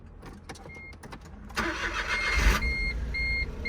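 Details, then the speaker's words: Crashed Smart car at a Copart yard, airbag deployed: few quiet cranking pulses, then abrupt gruff, clattery catch, diesel-like, settling to idle amid dash chimes; normal start. "It almost sounds like a diesel when it starts, you know, the way it fires up."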